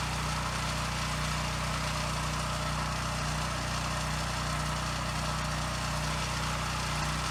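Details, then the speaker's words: Husky generator that sat 5 years with bad fuel, first run after carburetor cleaning with carb and airbox refitted, still awaiting air filter, spring and tank grommet: runs well, but the note swells and dips gently at no load, a slight surge typical of these. "Okay, good. It runs really well. It does have a slight surge at no load, which is pretty typical with these, so I'm not going to worry too much about that."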